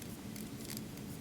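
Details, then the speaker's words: Beauty shears pivot tension screw being turned: crisp, evenly spaced light clicks about three a second, showing the internal clicker plate is seated correctly, not upside down. "hear it if you don't hear that click you probably have that internal clicker plate upside down"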